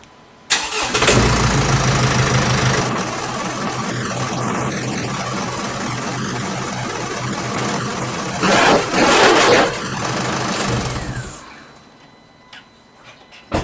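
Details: 2016 Mercedes Sprinter 2.1L diesel, started after an oil and filter change with one litre left out, checking for leaks: catches quickly and settles into an even, steady idle clatter, no misses or knocks, then shuts off cleanly; no leaks found.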